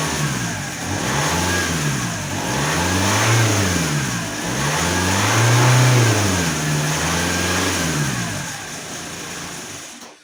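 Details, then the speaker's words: Alfa Romeo 156 1.9 JTD common-rail diesel, previously crank-no-start, just started: revs surge in slow waves every couple seconds, no steady idle, heavy exhaust smell. "okay it did start very well but the car has no idle and that that has that fluctuation and it smells a lot by the exhaust"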